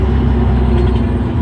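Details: Terex articulated rock truck, Cummins M11 diesel, after fixing transmission that would not shift: deep, even rumble under load pulling away in gear, no clunks or grinding; running normally.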